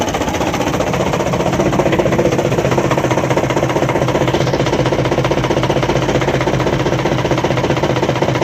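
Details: Diesel truck engine at steady speed with a regular, heavy knock beating through it; crankshaft suspected, not confirmed.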